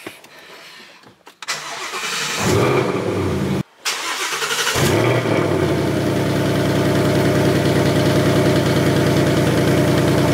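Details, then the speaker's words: Supercharged 2019 Mustang GT, flashing check engine light after a race, code P0300 random multiple cylinder misfire: cranks, catches and settles into a loud fast cold idle with a light weird rattle over it; source unknown, owner suspects catalytic converter. "see there's a weird rattle coming out of the car too so I let the car warm up and see what it does"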